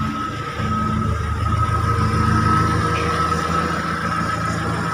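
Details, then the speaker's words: Timor DOHC (Kia Sephia S515i) fuel-injected car after repairing a stuck starter motor: engine starts and settles into a steady, even idle with a faint whine and no stumbling; running normally. "starter sudah hidup dengan sempurna"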